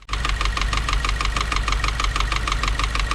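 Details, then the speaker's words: 2016 Subaru WRX, FA20 with a new short block, fully warmed up at idle: a fast, even ticking knock about three per second over a steady idle. The owner suspects an oil flow restriction at the pan or pickup tube; the cause is unconfirmed. "is what my WRX sounds like only when it's idling after it's fully warmed"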